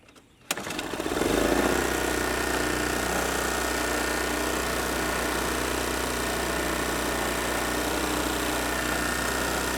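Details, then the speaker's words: Troy-Bilt 900 W portable generator with Briggs & Stratton 2.4 hp Vanguard engine after a carburetor repair: brief crank, then a steady even drone with no misses or knocks, output about 120 volts; healthy running. "as you can see it's hovering right around 120 volts let me turn the light on I've got a 500 watt load hooked up to it"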